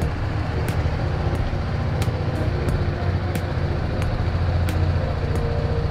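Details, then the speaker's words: BMW G310GS single-cylinder motorcycle after replacing a dead battery with a new Exide 12V 9Ah battery: steady, low idle with a light regular tick on top and nothing uneven; starts without trouble, normal idle. "Let's see if it starts up there it goes and it starts without any trouble."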